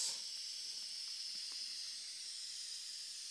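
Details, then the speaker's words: Electronic Autococker paintball marker, aired up and cocked, regulator near 300: steady sharp hiss from the three-way leaking under the solenoid, worsening as low pressure is raised, too severe to shoot properly; O-rings already replaced. "as soon as I adjust the low pressure you can begin to hear the leak from the three-way and it's coming right underneath the the selenoid and the more I turn the low pressure up the worse the leak"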